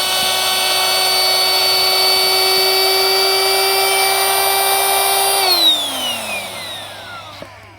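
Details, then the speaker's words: Battery-pack-powered high-volume inflator adapted for kayak inflation, valve now fitted: even steady whine at constant pitch for about five seconds, then smooth spin-down; no air escapes, pump working normally. "you can see no more air escapes so I can highly recommend a bit of a budge with a little high volume inflator runs off a battery pack"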